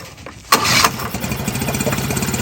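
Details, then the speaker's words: Cold-blooded old Mercury 9.9 outboard, cold start with accelerator-pump diaphragm carb after pumping throttle: cranks, catches, then runs lumpy and uneven before stalling; in cold weather it can take ten-plus tries to idle. "a little bit more fuel in there eventually it'll just stop again and sometimes when it's real cold you get up there in the fall or early spring and you're like 10 plus times doing this before it'll actually idle"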